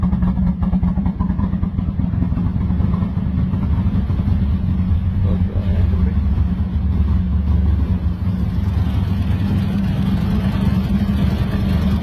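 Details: Lexus IS300 built 2JZ-GE turbo, first start: deep low rumble with uneven, lumpy, wandering beat; rough idle.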